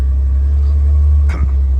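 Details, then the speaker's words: 1965 Chevrolet Corvair Monza convertible, low-mileage survivor, 140 hp flat-six, automatic: low steady even idle rumble, no knocks or misses; starts right up and idles nicely; normal idle. "I'm gonna start it up for you now. Starts right up and idles nicely."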